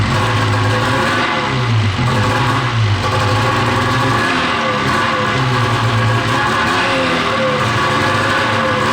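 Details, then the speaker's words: 13-year-old two-stroke race snowmobile revved with no belt fitted, on pump gas rather than Q16 race fuel: rpm hangs and sags without crisp pickup, a low-rpm bog. The owner suspects a sticking power valve and next loosens the belt deflection. "we're going to see if the bog is consistent you know even without a Bel on it to"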